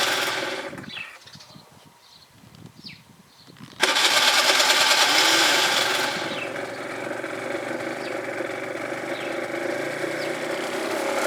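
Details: Gilera DNA 50 scooter after winter: quiet start, then a steady high-pitched whirring that never becomes a running engine; cranks but won't start, cause unknown.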